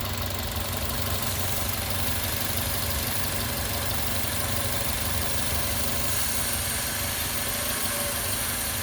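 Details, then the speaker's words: Petrol engine idling with an induced vacuum leak through a custom adapter on the PCV hose: steady airy hiss, slightly uneven running; upstream O2 sensor pegged lean, goes rich and drives fuel trim down when the valve closes. "I'm going to create another vacuum leak. This time, I'm just going to use an adapter that's plugged into the um PCV hose."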